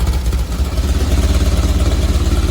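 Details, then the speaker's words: 1970 VW bus with dual 34 carbs and a CSP bell crank linkage, warming up during carb sync: fast, even pulsing idle with a quick steady beat and no misses, sitting a little too high; the idle screws are about to be backed off to balance it. "okay so after it's warming up it sounds like it's idled a little too high to me so i'm going to start backing off on the idle screws and see if i can get it to balance out some"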